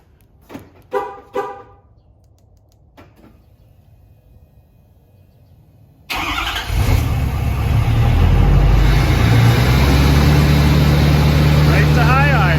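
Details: 2013 Ford Power Stroke diesel with free resistor high-idle mod on the factory auxiliary switch, remote command started with no key: quiet, then settles into a steady, raised idle with an even clatter; high idle working as intended.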